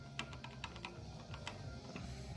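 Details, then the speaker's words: IGT S+ motor after cleaning its rough bearing: sharp, uneven clicks over a low hum as the loose plastic wheel on the motor shaft rattles on the shaft. "it's clicking sound that's this plastic wheel see how it's the shaft of the motor comes through the wheel"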